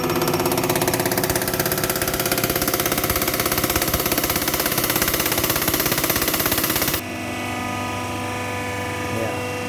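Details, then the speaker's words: Toyota Hilux diesel injector on a test bench after replacing the worn valve seat (complaint: hard starting): high-throttle test, rapid even ticking about 200 pulses a minute over a steady hiss, fine atomized spray; normal injector spray. "jadi di sini terasa itu semburannya sangat bagus ini merata ya dan minyak kembalinya juga netes pelan"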